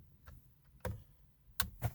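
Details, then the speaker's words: Alfa Romeo with no reaction to starting, foot on brake: a few faint isolated clicks, no cranking. Failed starter relay, part 6106094AA. "all right so the alpha is doing this again where it has no reaction to starting my foot's on the break everything"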